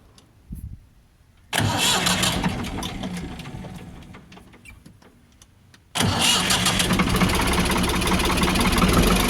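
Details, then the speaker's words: Ford 4600 1000-series diesel tractor just after fitting a new injection pump: slow lazy idle knock sagging after catching, too low; idle screw wound in to about 700 rpm. "Ticking over a bit too slow, isn't it?"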